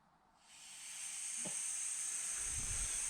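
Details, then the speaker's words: Cheap secondhand sandblaster cabinet, first air-on test; a steady high hiss starts as soon as air is applied and holds level, an air leak in the cabinet lines. "hissing already why is it hissing already"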